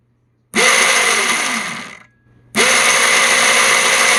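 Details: Razor electric scooter after a wire was soldered to jump the relay coil to fix clicking without motion, throttle turned fully: the motor spins up to a steady high whir, coasts down and picks up cleanly. Now drives normally.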